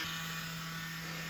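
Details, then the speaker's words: Small 3D-printed impeller pump on 2 AA batteries inflating a large inflatable boat; thin steady motor whine with hissy air rush, sounding strained and underpowered, like it is dying; weak, labored pump motor. "Turn it on. So first I would say it doesn't sound great. Sounds like it's kind of dying."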